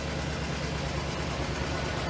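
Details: 1962 Studebaker Lark Cruiser, 6-volt car that starts right up; idling loud but smooth with an even low rumble, no misses, knocks or ticks. Normal idle.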